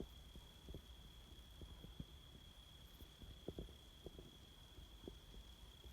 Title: High voltage power lines making chatter noise